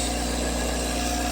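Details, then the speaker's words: Fluoromizer 3500 refrigerant recovery machine, about 40 years old, restarted after failing to start: even low compressor hum with a steady buzz, 4.5 A versus a rated 5.6 A, developing really good pressure, no labouring; normal running. "Yeah, it's developing really good pressure. Huh. Hey, you can hear that thing go."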